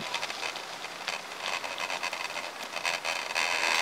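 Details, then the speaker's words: Bicycle with thick-tread off-road tyres ridden on smooth new asphalt, camera on a new handlebar mount: rapid uneven crackling, three to four per second, over riding hiss; rider suspects tyre tread vibration picked up by the camera, unconfirmed. "Słyszysz, jak trzeszczy? A asfalt gładziuteńki widzisz? To jednak nie kostka tak trzeszczy, to coś w moim rowerze, ale co?"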